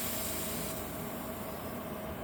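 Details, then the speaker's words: Rolls-Royce brake accumulator sphere being vented before rebuild by tightening the set screw: strong steady hiss easing slightly over seconds as residual nitrogen escapes, the gas feeling very cold; nitrogen venting hiss. "You can still feel it coming out of there. That would be your nitrogen."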